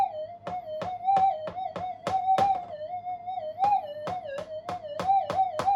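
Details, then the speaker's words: Minelab GPX 5000 upgraded with new parts, full gain, normal timings, tracking ground balance: warbling threshold with repeated sharp blips as an ironstone hot rock is swept; tracking subtracts the hot rock response, orientation changes the ground subtraction. "Changing the orientation of the hot rock will definitely change the characteristics of the ground subtraction. But anyway, it'll basically, on full gain, remove the response from the hot rock."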